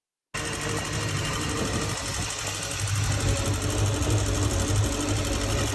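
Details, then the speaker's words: Indmar Monsoon 340 boat engine with MEFI-4 ECU: idles fine but won't rev without pinging, knocking and a soft rev limit. Uneven rapid ticking about 3–4 per second over a rough drone; corrupt ECU suspected. "At no point in time could you rev up this engine without experiencing pinging, knocking, and almost like a soft rev limit, which I can put a video up here of what that sounds like."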